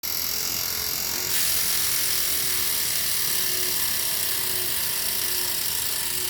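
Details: Elite Rampa trainer: fast, buzzy ratcheting chatter about four times a second, mostly a high-pitched rasp; mechanical fault inside the trainer, source not yet found.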